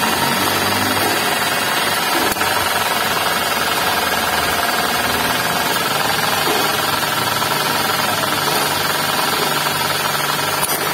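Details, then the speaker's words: Suzuki Ignis manual, running engine, under the hood: rough growling rattle from worn bearings on the V-belt system (alternator, water pump, belt tensioner), tensioner bearing worn. "Nah ini indikasinya di bagian bearing nah ini di bagian Bereng antara alternator terus water pump terus bearing tensionantibel"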